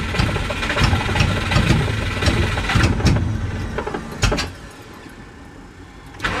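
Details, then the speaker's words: Subaru after flood clear, with ignition cycled and held on a lot of throttle: it catches in ragged bursts, then sags and nearly dies. Rough running; owner suspects too much fuel and not enough air, unconfirmed. "So, it definitely wants to try to start a little bit when I give it a lot of throttle. So, that makes me think it ain't got enough air and it's too much fuel."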